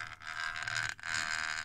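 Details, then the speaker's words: Brüel & Kjær 2625 pick-up pre-amplifier with 4291 accelerometer calibrator: scratchy crackle and rustle over steady high hum, dropping out and surging, from a dirty intermittent switch; fixed by cleaning the switch. "Oh, look how unstable it is right now. Yeah. This is the problem. Always the switches, isn't it? Well, the thing is working at least, but this switch is bad."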